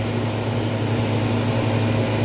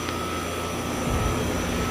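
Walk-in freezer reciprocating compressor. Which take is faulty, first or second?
first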